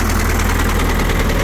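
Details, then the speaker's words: Early-1970s Case 580B backhoe mechanical diesel, cold start after sitting a couple of weeks: catches at once and settles into a steady, even low idle clatter; heavy blow-by noted from the tube; normal cold start idle. "Okay. That is a cold start. This thing hasn't been started since I parked it here a couple weeks ago."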